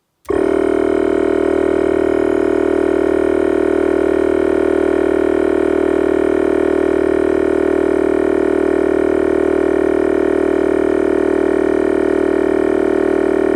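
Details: Volvo V50 air suspension compressor during a pressure valve test: switches on sharply and holds a steady, even electric hum with no knocking or grinding. Pump works and reaches just over 120, though the owner notes the pump gets quite hot.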